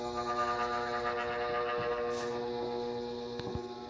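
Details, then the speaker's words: 56-inch Airmaster ceiling fan on slide control at absolute lowest speed; constant electrical hum with several fixed pitched tones, louder than before. Cause not yet found; owner may open it back up to check. "So this is low speed. This is low speed set to the absolute. I did it again. Why is it so loud though? I don't think it was quite that loud."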